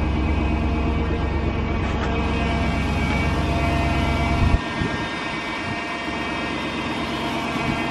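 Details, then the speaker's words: Jeep Grand Cherokee, hydraulic power steering, 147,000 miles, just after start-up: a thin, steady whine above the engine that lingers when revs drop. It was loud when maneuvering before; a mechanic said the whine is normal and should fade. Cause unconfirmed. "it would make this loud noise but now it has like kind of a whining noise was kind of sucks but he think dude said it was normal"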